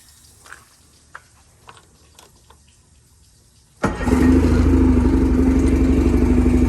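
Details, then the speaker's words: 2016 Evinrude MFE-55 military multi-fuel outboard on a restored 1998 Nautica 13.5 RIB, running from a portable tank: quiet ticking before start, then catches into smooth even steady drone, no knocks or misses; normal running. "it's supposed to be much quieter than a normal outboard this case is definitely much larger than a normal evinrude outboard oh yeah that's nice"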